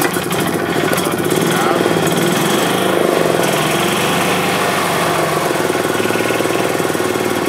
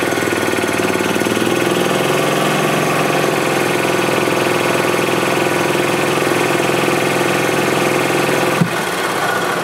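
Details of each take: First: 2007 Club Car Precedent gas golf cart after an oil change and new fuel pump (fuel had been in the oil); quick, even chuffing idle with no clatter or misses, though the governor is slightly out of adjustment; normal running. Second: 2007 Club Car Precedent gas golf cart after new fuel pump (had fuel in oil): engine drones then cuts off sharply and winds down, starting and stopping because governor is out of adjustment, throttle open before engine starts.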